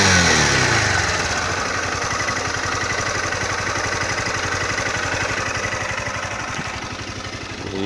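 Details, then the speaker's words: Honda CG Titan 160 single idling with a light, even valve-like ticking; the dealer says this noise is normal for these 160s and it has never caused problems; normal valve train ticking. "Gente, tem o barulho do motor, parece que tá batendo válvula."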